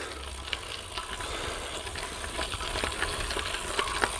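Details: Shimano Ultegra bicycle disc brake after the chain-grime anti-squeal fix: drags to a stop with only a soft hiss and light rattles, no squeal.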